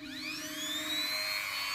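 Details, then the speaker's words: Mini grinder after on/off switch replacement: high steady motor whine climbing briefly at switch-on, then holding an even pitch without rattle or cutting out; running normally again. "Oke jadi seperti ini Lur Oke sudah nyala dan normal kembali"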